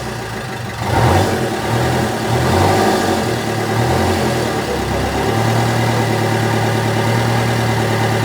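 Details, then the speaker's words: Fiat Doblo engine after timing chain replacement and rebuild, exhaust not fitted: loud, blunt diesel clatter settling to an even idle after a blip, steady firing with no misses, harsh only from missing exhaust; compression on all four cylinders. "The snail is running at the moment. Um, there's loads more to do on it. It's running like a Well, it sounds like a tractor cuz it's not got the exhaust in, but it's got compression across all four cylinders"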